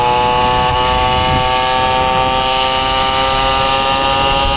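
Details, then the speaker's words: Motobécane 50cc two-stroke moped, warmed up, recorded on board while riding: buzzes high and steady and runs cleanly, revving freely at high rpm. "alors c'est plutôt comme dans mes souvenirs un moteur qui marche plutôt bien qui va chercher dans les tours vu que c'est un 50"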